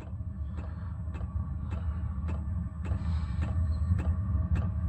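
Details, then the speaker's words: Diesel workshop heater running on red diesel, powered by an Odyssey 12 V battery on a charger, starting up before ignition: sharp ticks about twice a second from the fuel pump over steady fan rumble; normal start-up. "it's just igniting now click you can hear is the fuel pump taking red diesel out to the fuel tank it's not ignited yet it will do in a sec"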